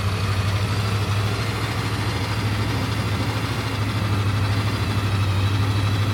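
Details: Suburban 6.2 Detroit diesel just after 25°F cold start via manual glow plug button, smoking heavily: steady diesel clatter at cold idle about three beats a second, slightly uneven but running well.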